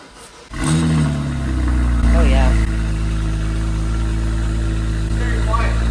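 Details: BMW 535xi E61 wagon after its exhaust gaskets were replaced for the third time: it catches and settles into a smooth, even idle without the earlier exhaust puffing. The faint remaining sound is attributed to the louder downpipes.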